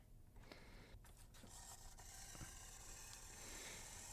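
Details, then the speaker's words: Vintage model locomotive with pancake motor drive: quiet, uneven ratcheting and scraping coming and going; drive unhealthy. "Sounds like a kettle, and it's also got that cracked gear sound, so one of them's split."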